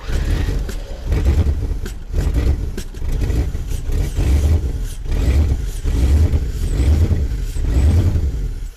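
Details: 1984 Corvette during a second start attempt after distributor diagnosis; heavy smoke, and owner suspects a plugged exhaust. Slow, heavy rhythmic cranking pulsing about once a second for several seconds without catching cleanly; long cranking, hard start.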